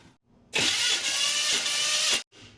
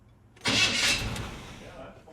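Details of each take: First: 1979 GMC Sierra abandoned for 25 years, cranked during a compression test: harsh metallic grind for about a second and a half and the engine never catches; the starter motor is failing and sounds terrible. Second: 1979 GMC Sierra after the starter was replaced: short, clean crank with no grinding or gear clash, then the whir dies away evenly; the starter grinding problem is fixed.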